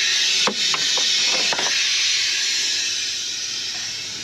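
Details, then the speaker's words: F-4 Phantom in hangar, compressor shut down with air accumulators charged: steady high-pitched hiss with clunks as the canopy moves, slowly easing; large pneumatic air leak, suspected at the canopy strut. "air accumulators are charged up but I don't know if you guys can hear that or not but uh that's a leak hey let's go see what that is"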